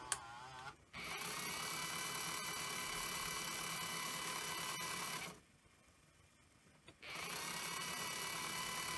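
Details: Sony EV-S700 Video8 deck (c.1988, well used): playback runs like fast forward, capstan at full speed; fast busy mechanical whir with quick steady ticking about four a second. Rewind works; owner suspects servo/capstan issue, unconfirmed.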